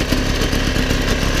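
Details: 1977 Motobécane M7 moped two-stroke after full overhaul, extra filter fitted: idle with a fast light tapping over the buzz, something knocking inside the engine of unknown origin; otherwise runs fine.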